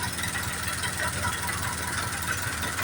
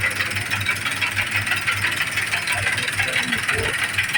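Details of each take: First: John Deere 5078 tractor diesel after its injection pump was rebuilt and refitted and the gears were centred at the shop; the strange engine noise is gone, leaving a steady, even idle clatter with no misses or knocks: normal idle. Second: John Deere 5078 tractor diesel at idle after injection pump head broke and pump was rebuilt and refitted elsewhere: harsh rattly clatter pulsing about three times a second, caused by incorrect injection pump timing.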